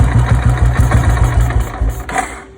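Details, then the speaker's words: Old Royal Enfield Bullet 350 single-cylinder carburettor check: slow thumping idle falters and dies within two seconds when choke is applied, as it should; if it kept running, choke or carburettor mixture/idle screw setting would be at fault. "தூக்குன உடனே of ஆகிடுச்சா? இப்படி தான் of ஆகணும். இப்படி of ஆகாமல் ஓடிக்கிட்டு இருந்துச்சுன்னா பிரச்சனை இருக்குது."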